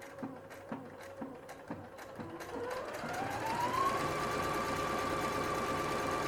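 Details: Singer SE9185 sewing machine stitching after tension set to 2–3 per manual: even ticking about three and a half stitches per second, then smooth motor tone rising and holding steady; normal running.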